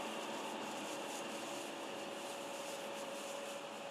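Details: BMW 330d diesel: thin, steady whistle over soft airy engine hiss without changing pitch; source not yet found.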